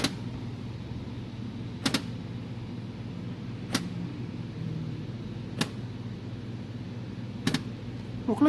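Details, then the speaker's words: JVC DLA-RS15-U D-ILA projector, just plugged in: sharp single click roughly every two seconds over steady fan-like hum, lens door seemingly trying to open and sticking; no power light even when pressing power button. Cause unconfirmed. "like the door is trying to open and stuck you hear that so yeah just keep doing that like there is no light if I push the power button yeah no light"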